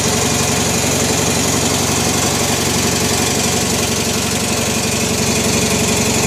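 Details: Original 16 hp Briggs opposed twin on an 1980s Turf Master lawn tractor, no repairs since new, just after a cold start (about 23–24°C) on choke, out of gear: a loud, steady, even putter with no knocks or misses; running normally.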